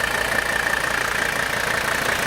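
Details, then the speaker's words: 1984 Mercedes 300D, 3.0 turbocharged five-cylinder diesel: even quick clatter at steady idle with no misses or knocks, healthy running. "so you can hear the car running there's the beautiful diesel sound"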